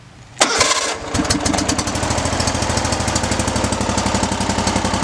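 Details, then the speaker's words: Hustler FastTrack zero-turn mower that previously only clicked, started through a bypass starter push-button. Starter whirs briefly, the engine catches within a second and settles into an even, steady idle; suspected wiring-harness connection problem. "and he starts amazing so that's how you fix a mower that would only click"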